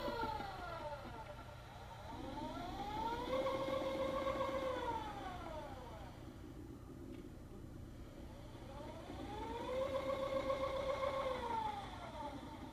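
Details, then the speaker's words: Paramount MyT telescope mount on a lab test stand, slewing to home position: soft motor whine climbs, holds, winds down, twice; very quiet soft purr, normal slewing motor sound. "very very quiet there's it gives a little soft purr I don't know if you can even hear that"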